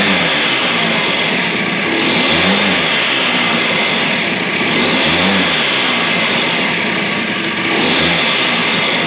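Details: DS90 two-stroke after rebuild with used replacement crank, first heat cycle with idle turned up: steady running with raised, even idle and slight periodic swell; sounds healthy.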